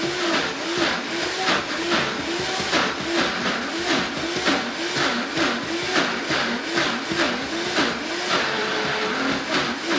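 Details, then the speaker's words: Vitamix blender on a thick mixture: loud motor roar with a wavering low growl rising and falling about once a second; sounds broken but is the normal, wanted sound for thick blends. "thick the machine will make a growling sound sounds like it's broken but that's exactly what you want it to do so you want to hear that growling sound"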